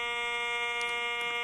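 Steady, unbroken mid-pitched buzz that never wavers; the normal threshold hum of a detector switched on in all-metal mode.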